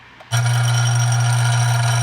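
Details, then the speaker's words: Dillon RF 100 auto primer feeder, fine-tuned against primer flipping and clogging, with the lid tightened: steady, even low buzz starting abruptly and holding, vibrating a little louder than before; a spring is also heard vibrating; feeder running normally. "You can tell that's a little bit more, it vibrates a little louder now."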